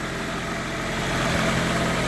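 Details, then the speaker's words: Infiniti G20, about 20 years old, after the whining AC compressor was bypassed with a temporary belt bypass: a smooth, even idle with a steady low hum and no more whine. Pulleys and belt now quiet. "my goal is to get another compressor eventually but this is just a temporary bypass oh no more wine nice and quiet"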